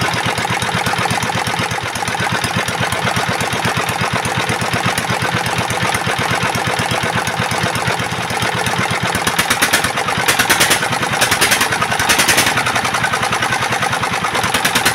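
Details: Single-cylinder S1125 diesel after repair of knock from running out of oil, oil and water refilled, oil indicator good: steady, even chuffing idle with no knock between firings.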